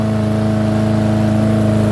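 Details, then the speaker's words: Yard Machine lawnmower, left out in rain, with sand in the carburetor and a bad primer bulb, running about 30 minutes with a new filter and cover: steady, even drone, no surging. "now that's it over there it's been running for about 30 minutes and if you can hear there's no surging whatever might have been stuck left in that carburetor worked its way out and there's no surging obviously"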